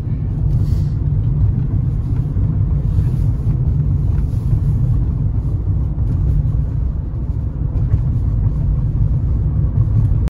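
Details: Nissan Qashqai J11 dashboard after fixing an upper-corner ticking rattle, possibly from the glove box plastic strut wrapped in insulating tape: steady low road rumble with no ticking or buzzing from the dash; the cabin is quiet and rattle-free.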